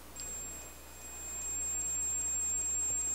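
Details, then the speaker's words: Multimeter continuity test on an 8-ohm, 5 W radio speaker coil: clean steady high-pitched beep for about three seconds, meaning the coil is intact. "Emitir um bip indica que a bobina desse alto-falante está perfeita."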